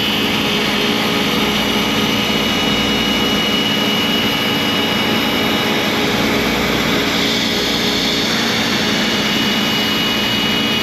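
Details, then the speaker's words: ShopBot CNC cutting 6061 aluminium door pulls with a 120° V-bit: steady high spindle whine with harsh cutting hiss at a laboured pitch, spindle bogging under heavy cut; extra clearing pass planned so the V-bit won't hit two aluminium sides at once. "We're going to have to we're going to have to do another pass cutting all of this out clearing for that because I don't want the V bit hitting two sides of aluminum at the same time. It's you can really hear it strain under that pressure."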